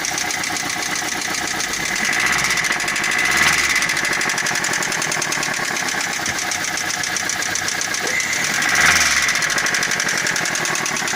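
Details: 1.6 engine running with a steady rapid tapping about four knocks a second; internal engine knock, source uncertain.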